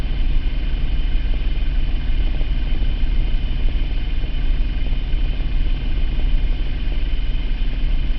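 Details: 2003 Mitsubishi Eclipse GT 3.0 V6, 92k miles, P0300 since 70k only at idle; plugs, wires, cap, rotor, air filter replaced, compression, injectors checked, no vacuum leak found: low idle rumble with uneven stumbling beat; hunting idle with misfire.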